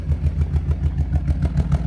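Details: Nissan G35 misfire with code P0300: deep exhaust thumps pulse unevenly at idle with a lumpy, stumbling beat; check engine light on and blinks above about 2500 rpm, problem suspected on driver's side.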